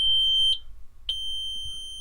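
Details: During an interior accessory hookup the key-on warning chime gives a clear high-pitched beep, then short beeps about every second and a half, working properly.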